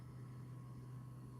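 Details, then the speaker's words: New Creality Hi Combo multicolor 3D printer with CFS, first print after setup: soft steady hum with faint high whine, no clicks or grinding; very quiet, running normally, though a slight crackling from somewhere was noticed. "we'll find out if I screwed up on setting up anything too I think I got everything installed correctly it's actually very quiet"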